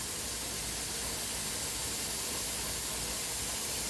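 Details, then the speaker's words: Pressure canner (Ethel) canning taco meat, after 10 minutes of venting, before weight goes on for 10 psi: steady, even steam hiss with no sputter or pulsing from the vent; venting correctly, normal steam venting. "Ethel is really singing away. It's been 10 minutes. So this is what the vent sounds like when it's venting correctly."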